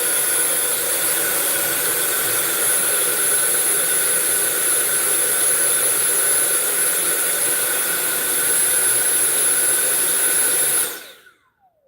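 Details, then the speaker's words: Cordless vacuum run on max: a steady high-pitched motor whine holds evenly for about eleven seconds, then cuts out abruptly with no slowdown as the battery light starts blinking; the worn battery is failing under load and needs replacing. "and it shuts off. See that? It's starting to blink. So, [snorts] the problem is this battery."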